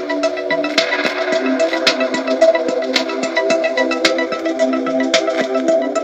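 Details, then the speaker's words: 1971 Philips Model 1530 cassette recorder: music playback in record-plus-play wavers in pitch over constant hiss, the flutter clearly amplified. "you can really hear the flutter amplified record plus play"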